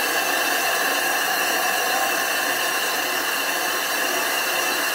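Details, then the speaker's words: Steady, hissing howl with no deep rumble from a machine grinding the back of a 25-inch F3 telescope mirror blank to thin and flatten it, using a fair amount of abrasive; this howl means it is grinding properly. "f off it and you want to hear that howling grinding sound if it's not howling it's not grinding so I use a fair bit abrasive it breaks down pretty fast"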